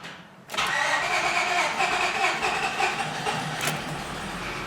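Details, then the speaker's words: 2005 Honda Pilot starting: the engine cranks with an uneven rhythm and is slow to catch, then fires reluctantly and settles. The owner reports a rough idle and that the starting sound seems lower than before. "so here's it starting up and that an example of that doesn't it doesn't want to want to kick in there in start so"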